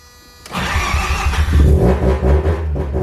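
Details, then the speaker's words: Mazda FD RX7 RS Series 8 bridgeport rotary with a new Hypergear T51R single-turbo conversion, very first start: brief crank, catches first try into a loud, lumpy, deep idle that holds steady; healthy start. "Oh, bro! Bro! First try, dude! Holy shit! Dude, that sounded freaking sick!"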